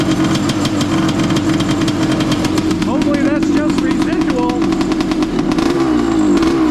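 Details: Honda CR500 two-stroke in a Schwinn trike with pod filter, no airbox, stinger exhaust, choke on: loud uneven burble that wavers and stumbles; flooded with fuel from earlier no-spark start attempts, rich boggy idle, jetted down to help.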